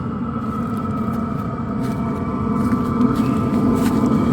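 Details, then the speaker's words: LF Bros 5 kW diesel heater starting at 14 °C, run from a portable power station; once the glow plug ignites the diesel the blower ramps up, giving a steady whirring fan note over soft, even combustion with no popping or surging; normal running. "once the the glow plug is heated up enough they can start igniting that diesel so it's going to start ramping up and the and the noise that you hear as as a turbine starts kicking up or the motor the blower"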